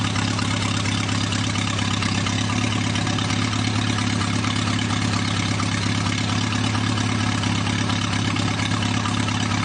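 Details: Newly rebuilt 2.1L TR4A four-cylinder, first run test, warmed up, straight pipe without muffler: steady even low idle about 1,000 rpm, oil pressure about 55, no knocks or misses; normal warm idle.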